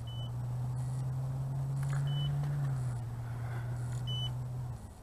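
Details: The BWINE F7 GB2 GPS drone (1806 brushless motors) hits its low-voltage warning and returns home. The remote gives single high beeps about every two seconds over the drone's steady hum.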